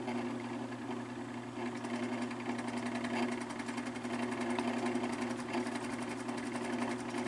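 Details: Fan motor with very bad bearings: steady hum with light fast scratchy ticking, about three or four per second; excess play at back of fan hub; cause suspected, motor not yet opened.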